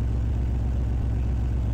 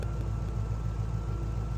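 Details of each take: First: GMC Squarebody truck with an LS engine after a Holley Terminator X swap: lumpy, loping idle with weak pulses; a whole bank is not firing because the bolt on the ground wire at the back of the cylinder was loose. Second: GMC Squarebody truck with LS V8, now on a Holley Terminator X ECU: steady, even idle firing on all eight after the misfire was fixed by tightening a loose, dangling ground wire bolt at the back of the cylinder; normal idle before a test drive.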